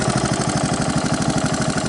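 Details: 1985 Honda ATC 125M after repair of rod knock by replacing the wrist pin and reseating the oil jackets: quick, even single-cylinder idle with no metallic knock, no smoke; normal idle.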